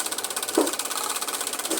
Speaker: Ó, gente, tá com um barulho estranho ali, ó.